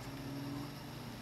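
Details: Lowe's economy ceiling fan, whose housing was customized: a low steady hum with a faint whining tone just after switch-on; the noise is unwanted, cause unknown.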